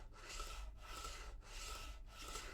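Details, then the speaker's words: TT120 model railway, track PVA-glued onto a rock-solid bed, wagon moved with no pressure: soft even rolling hiss in short back-and-forth strokes, no drumming or rattle. "and look at that so much nicer compared to this like I said there's no pressure on that wagon"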